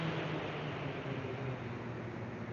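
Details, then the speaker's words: iDRY AIRFire firewood kiln circulation fan manually slowed, still circulating air and heating; low even rush of air with a soft steady hum, no knocks or rattles. Normal running at reduced fan speed. "You can hear it's still on. We're still heating. We're still circulating air, but at a much lower fan speed."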